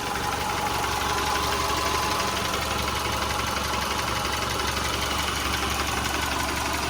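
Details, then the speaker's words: 2010 Subaru Forester 2.5 L EJ25, freshly rebuilt with new crank, bearings and pistons, warm about 8 minutes after an overnight cold start, heard from outside with the hood open: a smooth, even idle with no knocks or ticks. Normal. "even from outside you hear the engine nice and smooth you don't hear anything abnormal noises"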